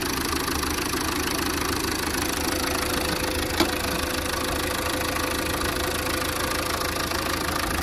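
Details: 2011 Tata Vista TDI diesel, 151,000 km, after head gasket replacement for overheating from compression leak between cylinders 3 and 4 and timing belt refit: steady, even idle clatter, no misses or knocks; running healthy.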